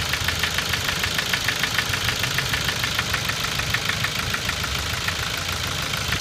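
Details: 2006 Ford Focus 2, 1.6 L 100 hp, automatic: sharp, even ticking at camshaft frequency (~400/min) over idle, gone above 1500 rpm, unchanged after 90,000 km. Owner suspects camshaft knocking in its bearings, piston pin oil starvation or piston slap.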